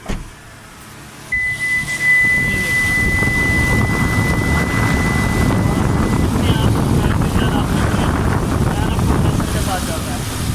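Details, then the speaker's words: 2018 Kia Carnival van after the 4-pin relay rewiring fix: engine started, AC switched on, and the outside cooling fan runs automatically. Engine idle, then a steady whooshing rush of air that holds; the fan is working normally. "जैसे ही AC on हुआ, बाहर fan उसके automatic अब चल रहे होंगे।"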